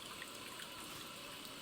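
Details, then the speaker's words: TOTO toilet after fill valve cap and diaphragm replacement, water back on: steady high hiss continues, so the cap wasn't the cause and the whole fill valve is worn out and needs replacing. "But listen, still making the same sound. So, it's not just the cap. That means the whole fill valve is done."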